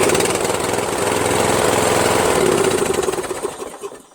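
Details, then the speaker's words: Toro Wheelhorse 1238XL lawn tractor, which used to click before starting, now starts easily with a stronger rebuilt starter: fast, even firing pulses hold steady, then slow and fade as it shuts down; runs strong and clean. "now I feel pretty good about selling this because before it used to just like click click click and then it does start easily but it's just the starter needed to be better you know this is a much stronger starter now"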